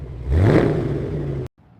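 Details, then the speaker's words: Ford Mustang 4.6-liter V8, long-sitting auction car after coolant flush and new air filter: strong but not smooth cranking, then catches and revs in a short deep throaty burst and settles, no knocks; runs rough at first, cold. "The engine crank sounded strong. Not smooth, not perfect, but strong."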